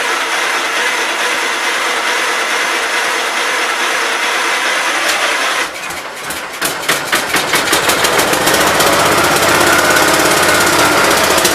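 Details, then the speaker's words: 1968 Gravely 430 engine, first start after rebuild and reinstall: a few rough cranking pops, then it settles into a fairly regular rapid beat. Sounds healthy; expected to smoke a little from oil put down on the rings. "well it sounds alright guys i know it's going to smoke a little bit because i put some oil down in the rings and stuff"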